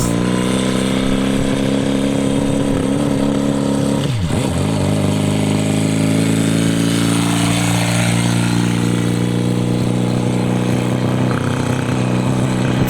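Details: Homemade 4-cylinder engine fitted to a Honda CD90, first run: steady drone that sags briefly but won't rev up; a larger carburetor in later runs improved it, main jet tested at #118 then #125.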